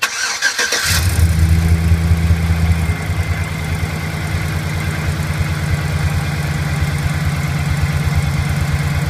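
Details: 2008 Chevrolet Silverado V8 on a cold start, settling into idle with a quick, light tick running steadily underneath. It seems to come from the left side under the accelerator at low rpm. The cause is not identified.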